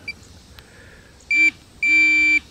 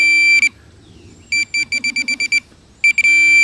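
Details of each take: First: Minelab Pro-Find 40 pinpointer: two clear high beeps, one short then one longer, confirming sensitivity steps as the plus key is pressed toward maximum. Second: Minelab Pro-Find 40 pinpointer with sensitivity turned up: sharp high beeps, a quick run of about eight pulses between steady tones, signalling a metal target. A dime and a nail sound identical.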